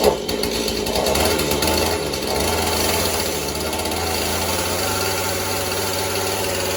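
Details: Husqvarna 435 chainsaw, likely mixed fuel, good compression, new purge bulb: ragged two-stroke run, note wandering and stumbling; carburetor needs going through.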